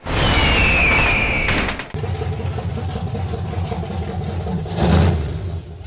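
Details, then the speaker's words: BMW fitted with a 6.0-liter American V8, after replacing bad injectors: strong throaty rev dropping cleanly into a deep, even burble with no misses, firing on all eight cylinders. "be8 oh my gosh we did it we did it that's what it's really supposed to sound like"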